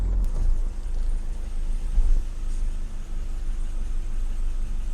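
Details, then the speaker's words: 1984 BMW 318i E30 four-cylinder, sat for 4 years, new battery, after revving to 3000–4000 rpm: low, lumpy idle with uneven, stumbling beat, a little rough; cause not identified. "yeah a little bit of a rough idle"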